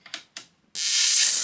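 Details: Mid-1980s Murphy 2201ST CRT television after about 20 years in storage, powered up a second time: sharp snaps, then steady loud sizzling crackle; high-voltage arcing from the flyback transformer, which leaked through plastic cracked with age, with burning smell.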